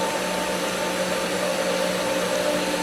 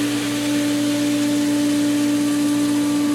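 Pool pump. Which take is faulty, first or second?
first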